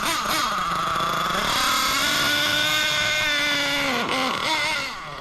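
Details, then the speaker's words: Losi LST XXL nitro RC truck engine revving up and down with a burbling, blubbery note that never cleans out: still super rich after needle adjustment; owner suspects the needle set too rich or the idle gap. "yeah see so she's still Super Rich so maybe I went a little too rich on the needle maybe it was just the idle Gap but we will We we'll hone it in here"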